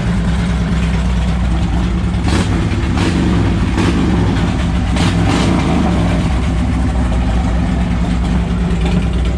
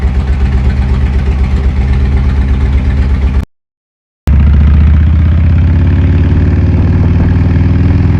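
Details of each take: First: 2007 Harley-Davidson Ultra Classic with replacement 103ci V-twin from a 2014 Dyna Street Bob (25k miles), OEM ECU tuned, about 30 miles since swap: loud deep burble with a couple of clean revs, settling evenly, no knocks or rattles; runs like a top. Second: 2007 Harley-Davidson Ultra Classic original 96ci V-twin, over 100,000 miles: deep, lumpy twin-cylinder running pulsing about four times a second, louder after a short cut; owner believes crank runout, unconfirmed.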